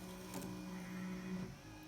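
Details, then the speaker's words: VW Golf Mk1 GTI new electric retractable aerial, radio switched off: steady low motor whir about a second and a half, stopping cleanly as the mast fully retracts; normal operation. "that's all the way up in order to press down to turn off the radio again and that's coming back down again"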